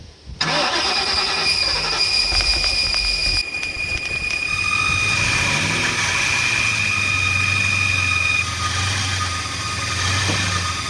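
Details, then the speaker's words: 1996 Ford Mustang GT, first start after long storage: engine only wants to run on starting spray, then catches with gas pedal held halfway and settles into a busy, uneven, smoky idle with a high steady belt squeal; rough running. "well it's it's only seems like it wants to run when I'm spraying the stuff in it but hopefully it'll get a little better here"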